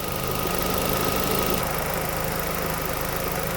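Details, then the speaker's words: 2003 Nissan Sentra SE-R 2.5L warm idle after timing chain and water pump replacement: smooth steady hum with both cooling fans whirring, no knocks or ticks; normal idle. "That's one happy sounding engine."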